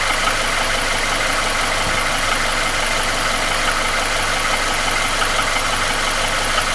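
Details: Nissan QG16DE engine without hydraulic lifters, piston rings, oil rings, timing chain and guide replaced 2,000 km ago: light knock about three per second at idle, began 1,500 km ago; owner suspects front between cylinders 1 and 2; disappears with revs.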